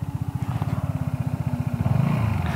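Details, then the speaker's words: Vespa GTS 300 idling after fitting Dr Pulley Tech Pulley variator rollers to cure a light rattle from the variator at idle and low speed; even regular idle thump about twelve beats a second, rattle now gone, healthy. "tiếng ồn đứng mà tôi nghe thấy bây giờ là rất tốt, vì vậy tất cả các tiếng lạch cạch đã biến mất."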